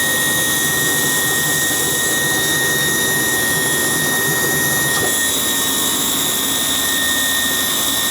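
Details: Gas hot-air furnace that will not run: steady high-pitched whine holding one pitch over rushing airflow, coming from the draft inducer motor, not the blower fan; possibly some oil inside the motor.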